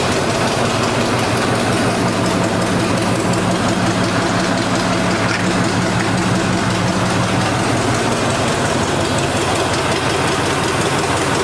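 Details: Neglected Chevy C10 with a once-seized 5.7L 350 V8 on its first start. A steady, fast, throaty idle that won't come down, with throttle sticking, exhaust and vacuum leaks noted; high idle, cause unconfirmed.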